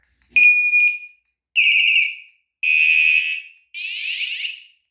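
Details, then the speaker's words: Two hidden 120 dB vibration-triggered anti-theft alarms on a Pebl bike, set off together with the find-bike bell button: four piercing, high-pitched warbling bursts of about a second each, each a different tone. Both alarms sounding. "Anyway, that's the sound of 2 alarms going."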